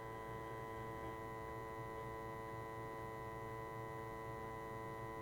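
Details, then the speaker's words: Nineties cassette boombox with added Bluetooth, in Bluetooth mode: constant low buzzing mains hum with stacked steady tones under the audio; owner suspects grounding the Bluetooth power to the selector switch's audio ground caused it. "okay so we're in Bluetooth mode and there's hum and you can hear that there's interference"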